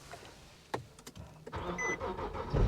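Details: 2010 Infiniti G37(S) manual on a jump pack, after an earlier failed attempt, now started with the clutch pressed: a few quiet clicks, then the engine catches and rises into a steady idle; normal start, exhaust needs work.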